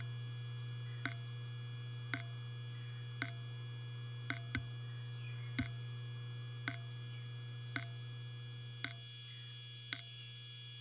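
Steady low spindle hum with a soft tick about once a second, then a click and falling pitch as it spins down.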